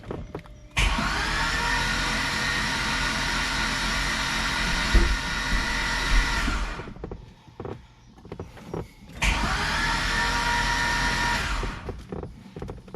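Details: 2005 Corvette with a built motor and new PCM tune: two long spells of starter cranking that never fire, with over 20 psi of oil pressure seen; owner suspects the crank request signal, which never turns to yes.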